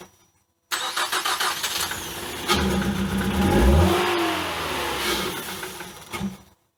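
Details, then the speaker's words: Engine with a cracked head, plugs and coils refitted after clearing water from the cylinders: catches after a rough crank and revs with a hollow, airy roar as the seized electronic throttle body motor frees up and opens. "Wow guys I just realized what that noise was what that was is the throttle body the electric throttle body the motor right here I don't if you could see it it just it was must have been froze up and just freed up and open that's why I heard that hollow sound"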